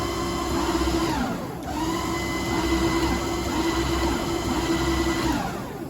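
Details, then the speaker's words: Chas twin-motor Sinclair C5 electric trike, restored, throttle buttons running the motors: steady electric whine holding even pitch, dipping briefly and returning, smooth with no grinding or knocking; healthy motor run. "And again, you can obviously operate both of them. So obviously it's hard to do this, but if you listen to the tone, that's one."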